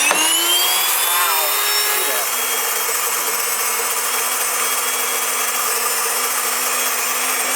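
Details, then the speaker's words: Wondermill electric grain mill grinding first two cups of wheat: loud steady high jet-like whine after brief spin-up; normal milling, with a high-pitched squeal signalling the hopper is empty. "it's going to get noisy folks I'm just letting you know we're going to turn it on and then we're going to add two cups of"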